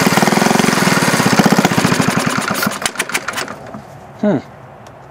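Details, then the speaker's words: 1951 Briggs & Stratton 6S single-cylinder engine being converted to hit-and-miss: rapid firing pulses slow and fade out within about three seconds as it dies. It isn't sucking fuel at the carburetor (needle about two turns out) and won't even run on choke. "sucking any fuel man no it's not getting fuel"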